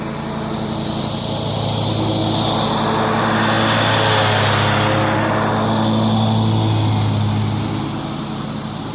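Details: John Deere 345 with a Kawasaki FD611V V-twin, about 490 hours, after stage-one revival repairs and a fuel filter change, mowing grass. Steady, even buzz dips slightly under load with no misfire or knock; the engine is running smoothly.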